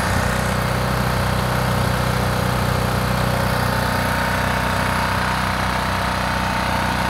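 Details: Old small single-cylinder generator, first run after fuel filter removed and fuel squirted in: engine chugs at a steady, even beat with no misses; it fires up and runs normally.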